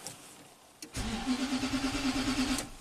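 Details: 2009 Nissan Titan V8, 130k miles, crank no-start when cold after a limp-home incident and battery replacement, engine data stream dropping out during cranking: even three-beats-a-second cranking for about two seconds, never catches; crank no-start.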